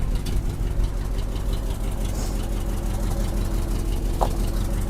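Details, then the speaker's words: 1976 Jeep J10 pickup with 401 V8, sitting 29 years, running on an electric inline pump and boat tank: rough idle with a loud low chuff on each firing pulse; passenger-side exhaust leak from a failed collector donut gasket. "And it's got a huge exhaust leak on the passenger side. the collector donut, the little gasket in there is gone. So, it's just shooting out the side."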